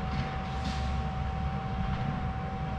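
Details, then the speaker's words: Minelab GPX 5000 metal detector after ground balancing, gain dropped to about 8 and stabilizer to about 6: steady, even mid-pitched threshold tone over outdoor rumble, smooth and stable. "now I've got a nice stable threshold ground balance nice nice smooth"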